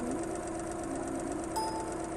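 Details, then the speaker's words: Engine at 1260 rpm, running on all cylinders then one suddenly stops firing: steady note turning to an uneven, stumbling beat; single-cylinder misfire, audible by ear but not visible in the waveform. "a change maybe the engine has misfired or something has occured within the product but here from the wave front we cannot tell but when you listen to it our human year can understand"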